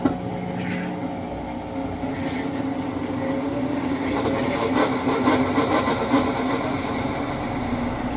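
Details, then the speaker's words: Amana/Whirlpool top-load electric washer in drain and spin with lid lock bypassed: steady, grating screech from sticky, binding drive belt; fix is belt conditioner. "you'll be able to hear this screeching binding noise that way you can be sure that you're fixing the same issue"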